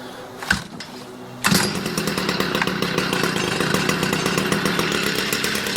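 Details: Stihl MM56/MM65 tiller two-stroke, bought used, worsening over three years: starter pull, then catches and sputters unevenly on choke, firing ragged and unable to idle; runs only on choke.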